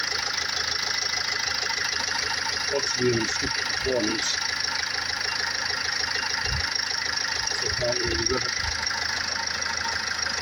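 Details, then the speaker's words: Range Rover Evoque 2.2 diesel, 78,704 on the clock, idling: even steady clatter with no misses, knocks or hunting; healthy engine ticking over. "As you can hear, it's sweet as a nut."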